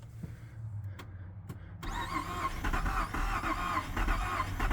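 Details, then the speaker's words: 2007 Lincoln MKZ that will not start, started via key-on and push-button toggle switch: starter cranks steadily with uneven chuffs like it wants to catch but never runs; crank no start, owner suspects timing slipping. "see it act like it wants to but it's not"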